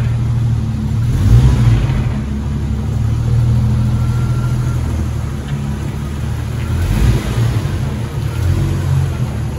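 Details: 1994 Jeep YJ after ECU and fuel pump repairs, pulling cleanly through first and second gear at low speed with a steady drone and no knocks or misses.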